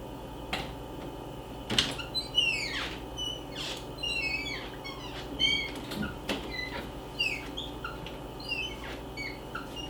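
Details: Interior home door: repeated high chirping squeaks sliding down in pitch as it swings, from dry hinges; fix is 3-in-1 oil applied with paper towel.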